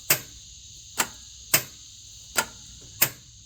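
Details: Flood-damaged Isuzu Gemini under restoration, after a stronger battery was fitted: sharp single clicks about every half second to one second and the engine never turns over. Starter clicks, no crank.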